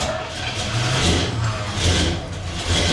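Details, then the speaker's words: 1976 Chevrolet C30 V8, cold, gas pumped twice before key: catches quickly into strong even deep run with light revving, no misses, knocks or stumbles; normal cold start, takes a minute to warm up. "One perk, too, is like this truck is old, but you pump the gas twice and you breathe on the key and she fires right up. Takes a minute to warm up."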